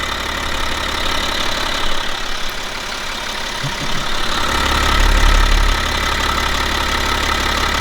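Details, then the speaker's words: 2011 BMW X5 xDrive35d M57N2 diesel, about 130k miles, after lower timing chain replacement, warm at about 40 degrees: even idle clatter with a small swell midway, no chain rattle or knock; engine sounds healthy. "So yeah, the engine sounds good. And after we do the oil level of the gearbox, I'm going to do a test drive and see how the car performs."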